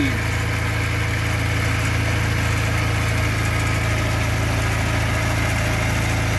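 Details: Škoda 1000 MB / 1100 MB De Luxe idling after its first start in 15 years: an even, steady beat at about three and a half per second with no knocks or misses; runs smoothly.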